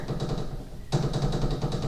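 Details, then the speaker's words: Dodge Dakota R/T 2WD after power steering rack replacement: quick run of dull hollow clunks as the steering shaft is worked, the clunking/chattering traced to a worn intermediate steering shaft joint, which was then replaced. "that's the noise so that's the noise i was trying to get out of this thing"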